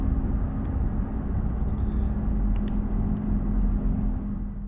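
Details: Volvo XC90 on the road, low steady whine over road rumble while decelerating, mostly between 65 and 20 mph, fading as it slows, gradually getting worse; rear differential/final drive whine on deceleration, rebuilt diff replacement planned.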